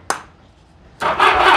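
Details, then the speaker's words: 1982 Honda Goldwing GL1100 barn-find motorcycle, sat about 20 years; battery possibly dead, cranked on a boosted jump box: click then slow, laborious starter cranking that doesn't catch, compression seems present, jump box quit: slow cranking. "yeah we have crank and it sounds like we have compression it's not it's not happy about crank but my jump box quit"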